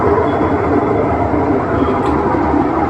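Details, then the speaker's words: Whirlpool top-load washing machine on the final high-speed spin; washing, filling and draining work fine, but a constant coarse grinding roar like a ragi flour mill, no clean tone. Worn gearbox, drum bearing and failed oil seal. "ಈ spin ಇದೆಯಲ್ಲ, last ಸ್ಪೀಡಾಗಿ ಸುತ್ತ ಟೈಮಲ್ಲಿ ನೋಡಿ ಈ ಥರ sound ಬರ್ತಾ ಇದೆ. ಒಂದು ರಾಗಿ ಮಿಷಿನ್ ಓಡುತ್ತಲ್ವ, ರಾಗಿ ಮಿಷಿನ್ ಸೌಂಡಲ್ಲಿ ಆ ಟೈಪಲ್ಲೇ ಬರ್ತಾಯಿದೆ."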